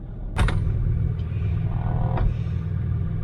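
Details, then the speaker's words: Land Rover Discovery 3/4 TDV6 diesel cold-weather start after the glow plug cycle. Just after firing there is a low, deep rumble with a couple of sharp knocks, described as rattling. Typical cold-start diesel rattle, nothing wrong. "it's rattling"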